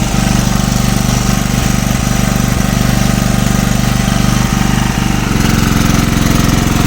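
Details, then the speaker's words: Single-cylinder engine with head bored for gas, hot and running without load: steady beat broken by irregular coughs and pops; misfiring at no load, cause unclear. "Ну тоді получається оцей оцей нагрівся і беіз нагрузки він ще чхає о чуєте"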